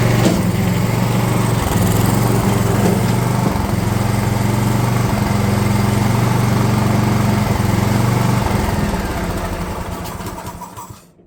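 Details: DR all-terrain mower, Kawasaki FV420V engine after years sitting: rough-edged putter for eight seconds, then sags and dies, failing to hold idle; owner suspects carburetor flooding, then finds dirty bowl.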